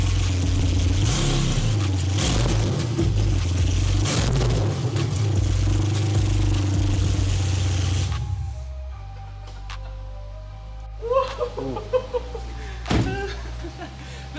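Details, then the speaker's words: 1991 BMW E31 850i V12, after reassembly, no exhaust fitted: deep loud unmuffled rumble with rev blips below 2,000 rpm, then a settling idle; no weird ticks heard, runs normally. "that is so loud holy but it runs did it sound no weird ticks or anything I didn't hear"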